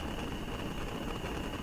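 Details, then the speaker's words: Restored vintage gas stove, burner being adjusted: a steady, loud rushing hiss with no rhythm while the flame starts lifting off the burner; too much air. "noise, and if you look right here, you'll see that the flame is starting to jump off of the burner, and that means that we have too much air."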